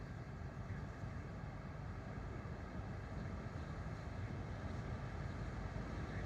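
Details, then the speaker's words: 12V rooftop RV air conditioner with soft start, running on a Renogy 300Ah LiFePO4 battery, mic held up to the unit: soft, even airy hum with a low steady drone and no rattles or pulsing; very quiet, normal running. "So, it's going to start blowing. Like right now, it's already blowing. You guys can't feel it. Maybe you can hear it. I doubt if you can even hear it. It's so quiet."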